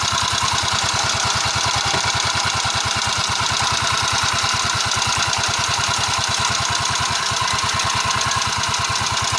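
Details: Valve ticking noise on a Yamaha Mio scooter at idle: sharp, steady metallic tick on every firing, about three per second, clear over the exhaust.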